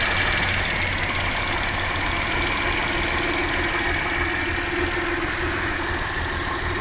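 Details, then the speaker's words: Audi 100 C4 2.8 petrol V6, said to have a freshly rebuilt engine, previously misfiring and stalling; after repair: an even, settled idle with a steady pulse of about four per second, no misfire, extraneous noises gone, and no gases in the coolant. "так друзі як бачимо гарно чітко працює пропали сторонні шуми двигун працює гарно"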